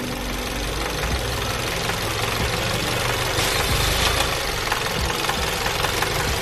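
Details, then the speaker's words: VW GTI with stalling and faults P000B, P0017, P0341, P2336, new oil pump fitted: fast light ticking at roughly 200 per minute at warm idle, worse hot; noise stops when a cam adjuster is unplugged, suspected faulty adjuster/central valve or low oil pressure. "can hear thee and you can feel it in there too and I unplug them from the noise goes away"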